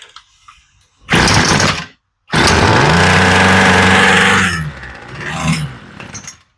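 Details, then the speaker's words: Homelite string trimmer with new replacement carburetor, mixture screws set from a one-turn-out starting point: two short bursts, then a steady buzzing idle that sags and fades; idle nearly right, low-speed screw getting another quarter turn. "Okay, we're close. So we're working on the idle first. We'll give it, let's say, another quarter of a turn. As you can see, even though it's a new carburetor, it needed some adjustment."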